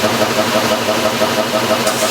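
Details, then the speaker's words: 1989 Maytag Orbital Fabric-Matic washer agitating a large load of colors, pump recently adjusted: steady light ticking about six per second over the agitation hum. Intermittent knock that comes and goes, cause unknown. "oh there's another i noise you can hear that"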